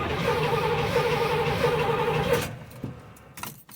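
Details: Box Chevy with a misfire problem, freshly charged battery, no priming: steady even cranking about four beats a second with no firing, engine turns over but won't start.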